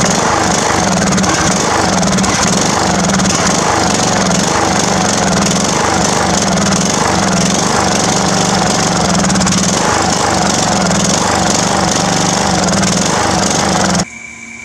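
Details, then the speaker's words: Old Craftsman riding mower (about 19 hp) after old gas was drained from the tank and bowl and new gas added, before the carburetor was cleaned. The drone keeps dipping and picking up every couple of seconds. Rough running, cause unconfirmed. "it ran last night but pretty crappy and the inside looks pretty good"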